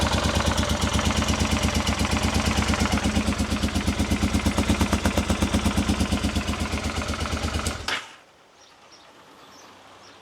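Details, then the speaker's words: Honda Africa Twin at its first start after rebuild, on a temporary fuel supply: lumpy, uneven thumping that then cuts out. Only the rear cylinder fires because one carburettor was dry, starving it of fuel. "As you saw, earlier the bike started, but it's only firing on one cylinder. On further investigation, I've got one dry carburettor."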